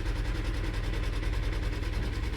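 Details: 2006 Honda Odyssey V6 idling: fast, steady metallic rattle buzzing over the low hum, loud; the rattle is real but its source still needs tracking down.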